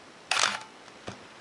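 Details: Minolta X-700 35mm SLR with 50mm MD f/1.7 lens, fired at 1/1000 s with the aperture blades closing. One crisp mirror-and-shutter snap followed by clean short mechanical ticks, no drag or stutter; normal shutter release.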